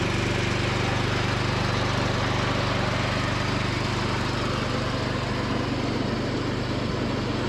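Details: John Deere D110 riding mower after cleanup and carburetor adjustment (richened, loose spark plug tightened): small engine holds a steady, even drone with deck engaged while driving, no surging or knocking; runs healthy under load.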